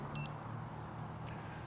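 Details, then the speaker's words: Mten Mini electric unicycle on a range test, battery bouncing between 30% and 20%: two short high-pitched low-battery warning beeps about 1.5 s apart over steady riding hum, later continuous while holding a steady 8 mph with no tilt-back. "can hear the beeps low battery beeps um it's bu bouncing between 30 and 20 so I I think that's that's a good time for me to uh head back"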